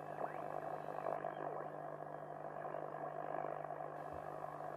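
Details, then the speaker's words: 1930s Volksempfänger VE301 AM radio receiving a station at night: faint wavering whistles sliding in pitch over radio hiss while tuning; regeneration feedback set too high, turn it back until the station is clear. "the whistling, you must turn back the feedback, until you can clearly hear the station."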